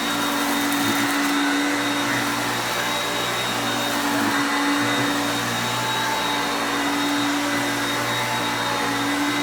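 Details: Hoover Concepts self-propelled upright vacuum on carpet. Steady high motor drone holding one pitch, no rattles or surging; normal running.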